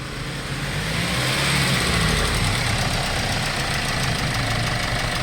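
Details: Hyundai Starex D4CB diesel after replacement engine swap for blow-by, checked revving to 3,000–3,500 rpm with no smoke: steady even idle clatter settling after a light rev, no misses or knocks; healthy engine.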